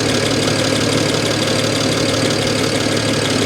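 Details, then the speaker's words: Idle heard under the hood of a salvage-auction car that looks thrown together, with an apparent ECU loose at the side. Loud idle with an uneven rattle about two beats a second; source not pinned down; alternator charging. "Under the hood. Sounds a little rattly to me. I don't know. You guys tell me what you think."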